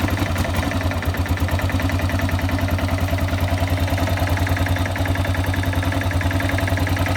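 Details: Yamaha XT600 (2KF) idling with a steady thumping about three and a half beats a second and a rough, uneven edge; odd engine noise, cause not identified. Abnormal engine noise at idle.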